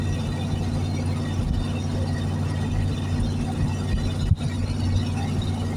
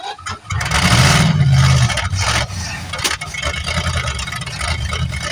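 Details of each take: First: 1973 Plymouth Fury III V8, off the road 7 years, driving in third gear; owner hopes running it out of gas cleared the old gunky fuel: a steady, even low rumble with no misses, knocks or surging. Running smoothly. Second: 1973 Plymouth Fury III, off the road 7 years, started cold on bad old gas: a rough crank and catch, then lumpy, uneven running while still cold. Rough running on stale fuel.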